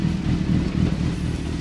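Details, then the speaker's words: Renault Twingo swapped with a Suzuki GSX-R 1000 motorcycle engine: a smooth, even low rumble at steady idle with no misses, knocks or rattles. The swap runs cleanly. "ben écoute je trouve que ça tourne rond ça tourne nickel c'est un bon échange"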